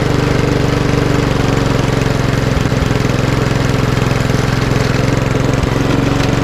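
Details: Lawnmower with RV 150 engine and Briggs air box, reassembled, first start after filling with fuel and tightening carburetor bolts: steady, even engine note with smooth regular beat, no misses or knocks; runs clean and healthy.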